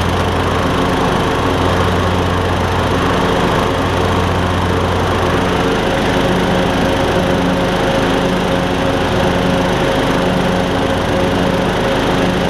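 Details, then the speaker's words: MTD Craftsman LT2000 riding mower after belt and pulley repairs, cutting with blades engaged: steady single-cylinder drone at even pitch, no belt or pulley slip or squeal; strong in all five positions, mowing normally under load. "whenever you have the blades on it's strong in all five positions which is what i was looking for"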